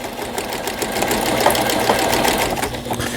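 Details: Brother 847 computer sewing machine, made in Japan, 220V, after repair; even quick needle clatter about three stitches a second with light motor hum, no knocks, sewing alphabet letter L (pattern 29); stitching normally.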